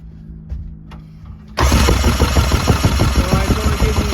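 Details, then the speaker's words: Yamaha LS2000 jet boat engine compression test: quiet lead-in, then steady fast cranking about three beats a second with an uneven chug; this cylinder reads 40 psi versus about 115 on a good one, low compression. "40 psi so like i thought that one is low and then let's just check a good one real quick and see what we got"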